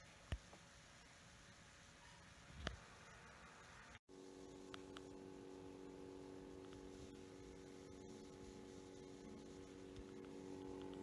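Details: Lenovo Yoga 730 15-inch (i7 8550U): faint steady whine with rough raspy grinding from left CPU fan, faulty from new; fixed by replacing fan.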